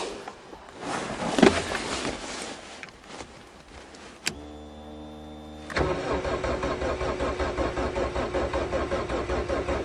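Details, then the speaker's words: 2009 Geo/Suzuki Swift cold start in March, with possibly stale fuel and a hack job on the ignition; the fuel pump can be heard: a steady, even starter churn at about two or three beats a second, and the engine never fires. "Come on. And some stale fuel. And a hack job on the ignition."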